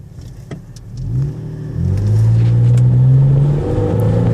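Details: 2001 Nissan Xterra: engine climbs in revs with a rough, uneven note under hard acceleration instead of pulling clean; misfire under load with no check engine light.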